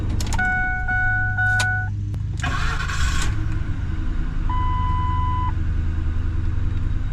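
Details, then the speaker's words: 2004 Ford Expedition, 260,000 miles, after a replacement starter: door chimes, then a brief, clean crank that catches at once into a steady, even idle. The starter engages normally and the fault is fixed. "All right, we're gonna call this fixed. All right, we're gonna call this fixed."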